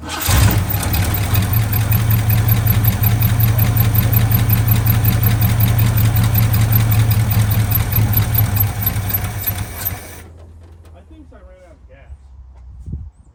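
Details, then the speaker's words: 1979 Ford F350 dually, 400M small block, automatic, revived after sitting about 22 years: even V8 beat with no misfire for about ten seconds, then it runs out of fuel. The earlier fault was a plugged exhaust, not a stuck intake valve. "Boy, that sounds so much better. See. It's on a small block forward."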